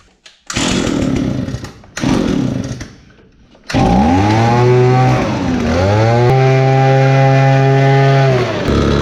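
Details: Victa Pro two-stroke leaf blower on fresh fuel with choke, after a starter repair: fires after two pulls, then a clean, steady two-stroke buzz revving up and back smoothly. Normal running.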